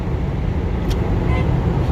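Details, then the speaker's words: 2004 Lexus LS430 with no-crank no-start after washing, caused by loose engine ground after alternator removal; after tightening ground: smooth, low, even idle rumble with outdoor traffic, no knocks or stumbles; check engine light on. "After I tied the ground, the car is running good. Everything okay. Only problem is loose contact, engine ground."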